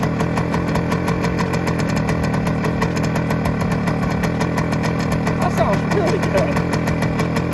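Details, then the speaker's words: 1971 Suzuki TS185 two-stroke, first start after years sitting, very cold and on choke, heavy smoke: fast raspy idle with a sharp ticking puff on every firing stroke from a bad exhaust leak. "good exhaust Le for sure exhaust Le okay it doesn't want to come off choke"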